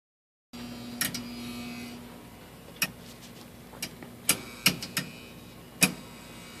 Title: Furnace noises